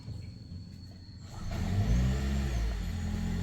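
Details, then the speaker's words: Hybrid car warm-up, AC off: it is silent when switched on, and pressing the gas hard starts the petrol engine, which rises to a smooth steady hum to charge the battery and will shut off again soon; normal hybrid start. "tuh baru dia nyala. Tapi enggak lama setelah itu dia akan mati lagi. Iya. Nih nyala nih mesinnya ngecas baterai."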